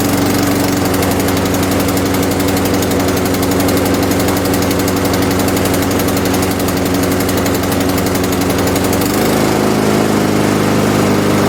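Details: MTD Pro mower with Honda GCV160 engine after repairs including choke adjustment, reassembled for a final test: steady even drone at constant pitch, dropping slightly near the end, no surging or missing; mower runs properly.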